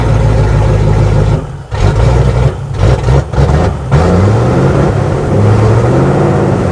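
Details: Range Rover Classic V8, revived after 7 years: revs fine slowly, but snap throttle makes it stumble and sag before recovering. Fuel pressure regulator suspected, unconfirmed.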